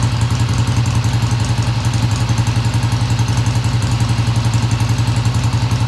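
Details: 1971 Triumph T120 twin, first cold start after cleaning pilot jets: even, steady low thump at settled idle, no ticking or misses; idle fast at first then kicked down, running smoothly, no tach fitted.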